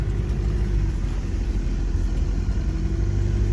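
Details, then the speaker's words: 1992 Isuzu Rodeo with 3.1 turbo diesel and 5-speed from a 92 Trooper, driving in four low, fourth gear: steady deep diesel rumble under load, no gear whine or howl; gearbox and transfer case sound healthy. "and so you can hear if there's a gear noise and stuff which there isn't that's fourth gear you can hear just a little bit in lower range that's pretty nice"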